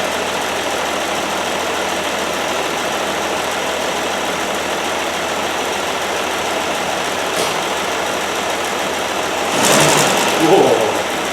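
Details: 1969 Land Rover Series 2a six-cylinder, rear cylinders previously misfiring, after spark plugs checked and refitted: even steady idle hum, all cylinders firing, brief rev blip near end, running fine.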